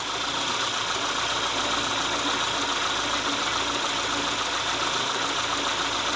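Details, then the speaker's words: Daewoo Sens, engine warmed up, idling; uneven, shaky running with a wandering idle speed and engine shaking; also high fuel consumption; idle hunting, cause not yet found. "проблема така деosн плавають оберти оберти на Ну на хлосту дригає двигуном"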